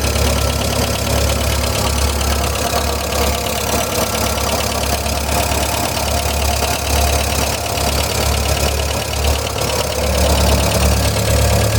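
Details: 1999 VW Gol "bola" 1.0 engine at idle; steady low idle with light, fairly quick tick, about three per second; owner suspects a lifter (tucho) tapping, unconfirmed.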